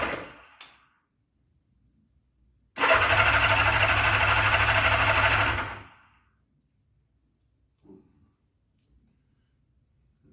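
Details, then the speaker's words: 1979 Honda GL1000 Goldwing first start after carb rebuild, full choke, fuel pump filling dry float bowls: three seconds of even cranking about three turns a second without catching. "it's going to take us a couple seconds to fill the bowls up because it's got a fuel pump on it and the bowls are completely dry right now so it'll take a couple cranks to get the fuel in the carburetors"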